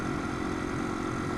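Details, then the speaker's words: '95 Yamaha TW200 with a Chinese carburetor reinstalled after fuel overflow fixed; started right away, fuel left off at first; steady, even single-cylinder thrum with no stumbles, misfires or bogging, winds out cleanly on test ride. "Anyways, really surprised that she started up right away, no bogging."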